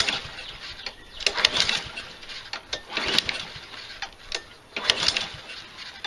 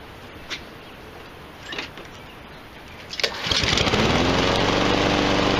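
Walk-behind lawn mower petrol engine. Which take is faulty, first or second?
first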